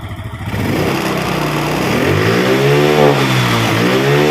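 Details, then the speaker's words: Yamaha Mio Sporty scooter being ridden after a loss-of-compression repair (eroded valve and valve seat, O-rings replaced), running better than the day before. The revs rise and settle evenly with a clean, steady note and no knocks or misses: normal running. "okay, now I'm trying to drive the langsa, it's better than yesterday,"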